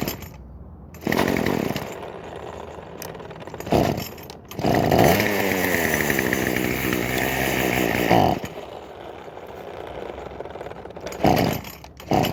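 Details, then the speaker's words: Craftsman WS2400 two-stroke pole saw, bought used from a pawn shop, starts but runs poorly: raspy buzz, then revs surge, sag and cut out in uneven bursts. Cause: stale fuel and carburetor mixture. "in today's video I'll be going over on fitting this Craftsman ws2400 pole saw that starts but doesn't run very well so let's get right into it"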